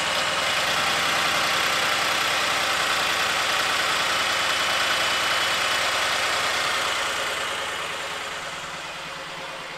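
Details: 2008 BMW 318 with intermittent misfire, during diagnostic injector test inducing misfire on each cylinder: uneven lumpy idle with regular stumble about three times a second, car rocking, then easing off; fuel injectors condemned as faulty.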